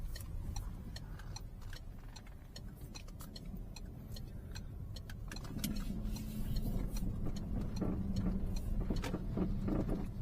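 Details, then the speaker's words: Peugeot 308 driving over small bumps: sharp, uneven clicks and light knocks over road rumble, persisting when braking; caused by worn sway bar end link; lower control arm bushing also failed, front shocks dead. "这个异响呢，我可以断定了是这个这个短拉杆啊，这个平衡杠的竖拉杆产生的这个异响。"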